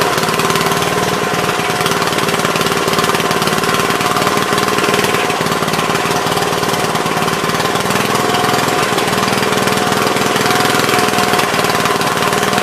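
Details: Troy-Bilt tiller, parked long, running on choke after a bad spark plug was replaced: small single-cylinder chugging steadily with no misses or cutting out, normal running.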